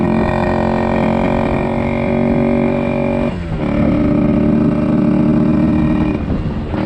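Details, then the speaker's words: 1974 Yamaha RD60 two-stroke, first ride after sitting over 8 years; buzzy note rises and falls but only reaches about 5000 rpm instead of 10–11,000; down on power at high revs; owner suspects carburetor issue. "oh so i can honestly say that was probably the slowest motorcycle ride i have ever been on so it doesn't sound like sounds like carburetor issue the power band isn't fully there i mean it's only grown up to about 5000 rpms which these ones should hit 10 11 000"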